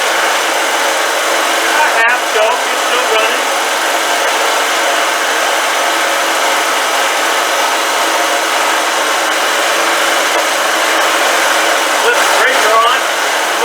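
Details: Old generator, given to owner ten years earlier, revived and running: constant, unwavering engine drone with no misses, surging or rattles; holding a steady, healthy run.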